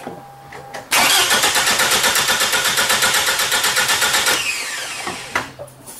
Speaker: I'm going to crank it this is normal compression this is what you're going to hear with normal [Applause] compression